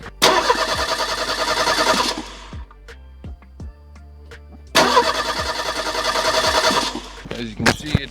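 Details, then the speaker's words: 1985 Merkur XR4Ti, first crank since purchase after the dead battery (about 0.08 V) was replaced with a new one: two strong bursts of quick, even starter cranking, spinning freely at healthy speed without catching; normal cranking. "now let's try cranking it over and see if it makes it Go all"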